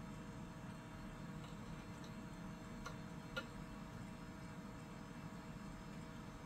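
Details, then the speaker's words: Packard Bell Legend 3550 CD-ROM drive spins with a faint steady whir and a couple of sharp ticks while reading a Windows 95 OSR2 disc; the drive seems to struggle, and replacement is planned, though the cause is unconfirmed. "it's making a noise that I really don't feel confident about so so I think before we uh do anything else we'll probably have to replace the CD drive on here"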